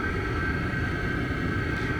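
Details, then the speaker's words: Diesel heater running outdoors on a cart, about 5–10 minutes in, duct too hot to touch, heard from outside: steady even roar with constant fan whine, no knocks or surges; normal running. "And the noise, you can certainly hear the noise from the outside."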